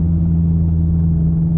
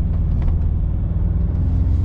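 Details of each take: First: Inside the car at about 50–60 km/h with a wheelbarrow strapped on the roof, untwisted flat straps: a steady, low, droning hum over the road rumble. The straps are vibrating in the wind, a horrendous noise. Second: Inside the car at about 40–50 km/h and speeding up, with a wheelbarrow strapped on the roof and the straps given a half twist: only a low, steady road rumble with no flutter or hum. The straps are quiet.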